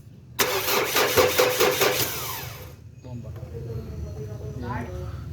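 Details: Ford Everest cranks but won't start: the starter gives a steady rhythmic chug for about two seconds, then drops off, and the engine never catches or fires. Cause suspected, not confirmed.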